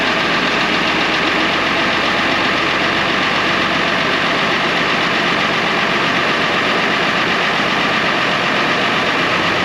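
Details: 1970 International Harvester 1456 Gold Demo barn-find diesel tractor, first start in 14 years: steady, even diesel clatter at constant speed with no misses or knocks; the oil pressure light goes off, so it is running normally.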